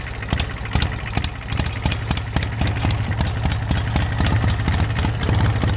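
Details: Small engine on a homemade tractor running through a new homemade 1-inch square tubing exhaust sealed with exhaust putty; low chugging exhaust beat at about four pulses a second, fairly even with no knocks; normal running.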